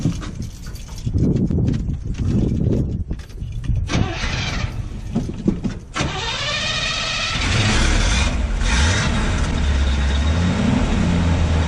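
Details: Freshly installed V8 crate engine in the owner's truck, start with manual choke, foot held on the accelerator until warm: cranks, catches and settles into a steady, slightly lumpy choked idle with no knocks or misses; healthy.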